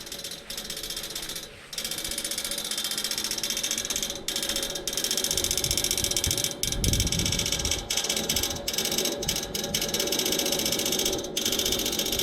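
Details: Neighbor's AC outdoor unit, nothing running, motor replaced yesterday: sharp uneven clicks about two or three per second over a quiet hiss from inside the unit; stops when the fan comes on; repairman couldn't reproduce; cause unknown.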